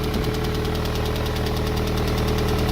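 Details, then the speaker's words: MG, first start after repair with a new belt fitted: rapid, even knocking ticks over a rough low idle with a burning smell and heavy exhaust smoke; repair unsuccessful, engine still faulty. "That sounds like it's still fucked. I can smell it."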